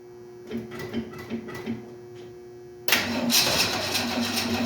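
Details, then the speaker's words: 1968 Ford Mustang: about four slow cranking pulses, then the engine briefly catches and roars, running only on the primed carb before dying; owner suspects no gas in the lines and is unsure the fuel pump works. "Got no gas in the lines, I think is the problem here. There's our pump. Don't know if the gas pump is pumping gas or not."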